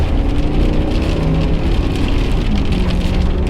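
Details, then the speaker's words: 2005 Ford F150 3V Triton after new ignition coils to fix a misfire, on bigger tires, in rain and not in four-wheel drive: strong even pull from a stop with no stumbles, hiccups or misfires. "nice good acceleration no hiccups no misfires good good good and she rides good"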